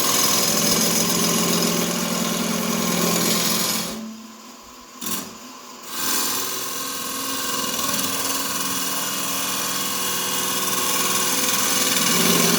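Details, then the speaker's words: Wood lathe cutting a cherry burl: whirring with fast steady chatter at the same spot regardless of cut direction, roughly a set distance from the headstock, tool bouncing; owner hopes new bearings will cure the vibration; cause not confirmed. "that's a vibration I'm talking about right there I mean does it the same spot don't matter which way I'm going so roughly this far away from the head and it starts vibrating"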